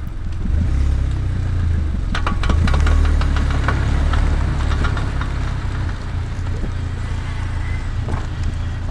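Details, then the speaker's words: VW Golf R MK6: rapid sharp clicks, about three or four a second, over engine and road noise, from the front left only when accelerating while turning either way, with matching steering vibration; worn front CV joint. "these clicking noises were very obviously coming from the front left I could also feel a vibration that coincided with the click through the steering the clicking and this vibration only happened while I was on throttle or accelerating and while I was turning"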